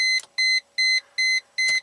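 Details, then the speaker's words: Chrysler Crossfire, tested with the OEM starter pulse relay plugged in: key on gives only a steady beep about every 0.4 s with no starter sound; still no crank and it can't shift out of park. "Still no crank. Still can't shift out of park."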